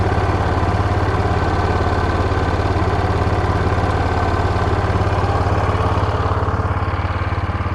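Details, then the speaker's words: Yamaha Rhino side-by-side with 1942 Jeep GPW flat-fender kit, warm with cooling fan cycling: steady even thump about 214 beats a minute, no misses or knocks; running good, idle slightly high, could be adjusted down. "running good. Probably adjust the idle down just a little bit though."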